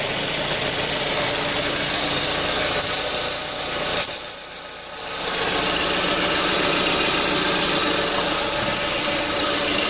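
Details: Engine running with a quick, fairly even ticking in the upper range that dips once briefly; cause of the engine noise can't be pinned down.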